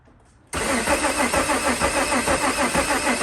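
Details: VW Mk2 Jetta with swapped VR6, cranking after a fuse fix restored rotation; starter spins the engine in an even rhythm of about three pulses a second but it never fires; crank no start.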